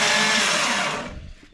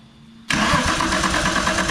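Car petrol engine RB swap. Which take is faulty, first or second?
second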